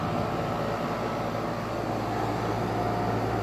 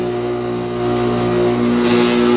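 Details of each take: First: 2008 NuTone dual-zone central air conditioner, R-22, at startup and running: smooth even compressor hum with steady fan rush and a faint constant tone; normal running. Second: 2008 NuTone dual-zone central air conditioner running: a steady droning hum with a buzzy, vibrating edge from a rough condenser fan motor; the unit is otherwise in great condition.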